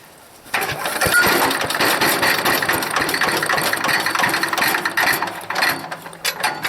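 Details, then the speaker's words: Old, heavy wood chipper engine, long unused, cranked on starter fluid, not yet fuelled: starter cranking gives way to ragged, uneven firing bursts that never settle; it catches briefly, and the owner suspects a dirty carburetor and a missing air filter. "i believe that's firing gonna have to get some gas in there and see what happens"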